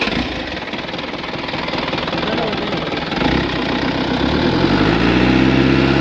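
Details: Swaraj Mazda Super XM direct-injection diesel truck, cold idle just after starting after 4 years unused. Loud idle with a hard steady clatter about three beats a second that eases as revs build; cold knock.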